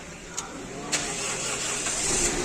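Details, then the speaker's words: 2006 Toyota Corolla that stalled while driving, after an alternator swap (brand-new replaced with a second-hand unit; battery earlier replaced): short cranking clicks, then the engine catches and settles into a steady, even run with no stumble, a normal restart. "before when you turn off the engine it will not start again because the battery drains the reason is the alternator is defective its okay now"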